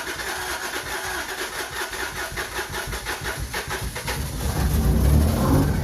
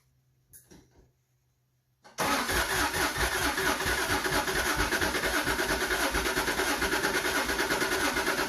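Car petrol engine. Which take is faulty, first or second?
second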